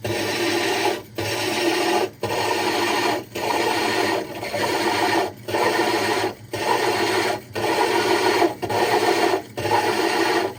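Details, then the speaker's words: Diamond hole saw drilling the glass of a 60 breeder aquarium, extra water added: steady gritty rasp with a short pause about once a second and a faint knocking that signals the bit is close to breaking through. "So he added a little bit more water, and we should be pretty close. Yep, you can hear it knocking there, so we're close."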